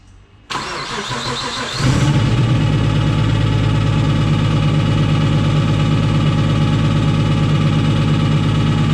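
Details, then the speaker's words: Nissan Skyline with freshly installed rebuilt engine: catches after a short crank and settles to a steady, slightly lumpy idle, but dies as soon as the throttle is touched; odd sound underneath, low oil pressure, cause unknown. "That sounds odd down there. That sounds like Try again. he covers. Go on. As soon as you touch it, it dies. Something's missing."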